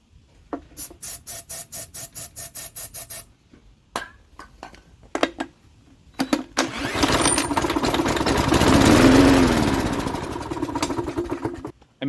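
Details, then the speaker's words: 1988 Jacobsen mower with a Briggs & Stratton 3.5 hp engine, turned over by drill on starting spray. A few rattles, then it catches, roars about five seconds and dies. Suspected fuel starvation from the carburetor, which needs cleaning. "i think we need to take the carburetor apart now and clean it out because we're not getting fuel from the carburetor into the engine"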